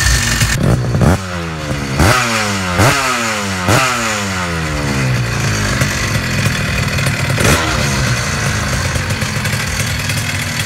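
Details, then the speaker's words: Small two-stroke engine. Crisp ringing climbs and falls cleanly through repeated blips with no bogging or misfire; well-tuned and healthy. "the two-strokes are just they're more fun and who doesn't like the sound of a well-tuned two-stroke i mean really"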